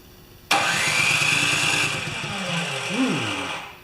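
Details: Craftsman 24-inch 9HP snowblower after rewiring the coil kill lead: engine catches at once, settles into an even, steady run without misses or stumbling, then shuts down cleanly; normal start and run.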